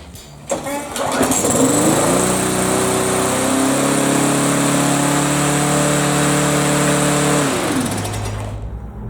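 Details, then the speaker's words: Briggs & Stratton push mower after plastic tank-mounted carburetor repair, started with a pull: jumps to loud steady high-pitched race that never settles, then shuts off; overspeeding, later traced to a sticking governor air vane. "Whoa, that thing's running a little fast."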